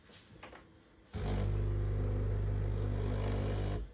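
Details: Gastroback coffee machine with a no-water-out fault from a clog, after cleaning and reassembly. The pump kicks in with a strong, even buzzing hum, steady and unstrained, with water pumping freely.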